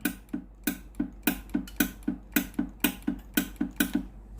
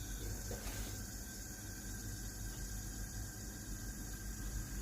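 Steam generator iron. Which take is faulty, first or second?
first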